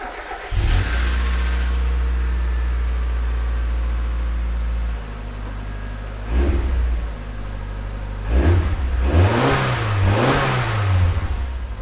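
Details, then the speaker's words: 1996 Mazda Miata after misfire repair: starts cleanly, settles to an even idle and takes several crisp revs with no stumble or skip; misfire gone, running smoothly on all cylinders. "see it's not misfiring anymore"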